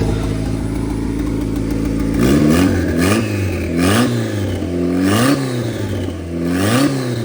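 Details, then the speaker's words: Honda Civic 4-door sleeper with freshly installed B18 engine and turbo, first start on stock injectors and stock ECU with new distributor; engine catches and revs in smooth blips, pitch rising and falling cleanly, no knocks or misfires; healthy running. "distributor is in it fires up it runs good"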